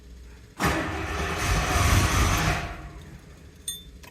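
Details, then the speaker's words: Classic Rolls-Royce Silver Shadow after running about 30 seconds and dying on its own: the starter spins and the engine tries to catch in a short burst, then fades without running. Fuel starvation is suspected, since it only starts when sprayed with something. "the car ran I had it running for about 30 seconds maybe or something like that and then it just died on its own uh and now it doesn't want to start"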